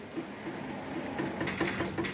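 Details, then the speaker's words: 1997 Harley-Davidson FXDWG Dyna Wide Glide: light regular knocks about four a second as bars are rocked by hand; worn riser bushings let handlebars clunk, urethane riser bushings bought to replace them. "bars a little Lally clunking because these bushings these uh Riser bushings are wiped"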